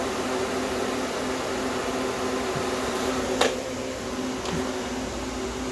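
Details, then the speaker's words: Small compressor in a homemade air conditioner at first start-up, run without the solenoid valve, not yet fully charged, no condenser fan, suction line down to about 49. Even constant soft hum, no clatter or surging; normal running. "at least you can hear it come on now there you go compressor runs nice and cool"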